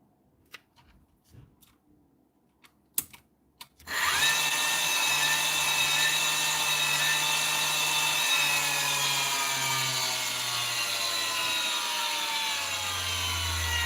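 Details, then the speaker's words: LS1013 machine, 6 years old, after repair with the switch spring contacts bent closer: after handling clicks the motor spins up to a smooth, steady high whir with no grinding or roughness. The motor runs fine. "Motor's not sounding too bad nothing either for a 6-year-old machine. Sometimes it can be very, very rough."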